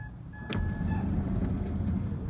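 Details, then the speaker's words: 2006 Honda Odyssey power sliding door after lubricating the gummed-up closing mechanism: smooth, even motor drone with a single latch click and no straining or over-pull; door closes and stops where it should. "again notice it is not over pulling the door and then releasing it later it's going right where it should be and then stop"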